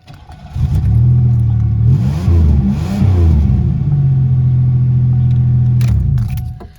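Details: 1991 Buick after its backwards-installed fuel filter was turned around; before, the engine would not come off idle. It starts promptly, blips up and down a couple of times, then runs steady and even with no stumbling before shutting off; normal start and idle.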